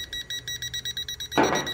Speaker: there you go and you can hear it beeping so you know it's going off